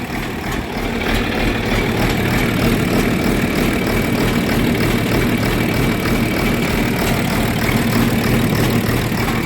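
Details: John Deere 4430 tractor diesel after replacing a fuel filter with a cracked, leaking housing: steady, even low idle chug with no misses or knocks and no leaks yet; normal diesel idle.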